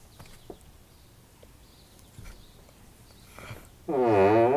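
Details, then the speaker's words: Kia Rondo rear passenger-side door: quiet handling, then a loud drawn-out groan just under a second as the door swings open. Dry, creaky door hinges needing lubrication. "so this door is extremely loud as you can hear it's very creaky it's making a lot of groaning noise so i thought this would be the perfect opportunity to make a video on how to stop your car's doors from creaking"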